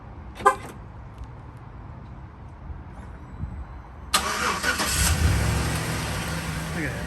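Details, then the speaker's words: GM Chevy/GMC V8 truck after sanding rocker arm bolts to fix lifter tick: brief chirp, remote start, then smooth idle with no ticking. "once I sanded those bolts and let it idle and I mean it's like a brand new truck"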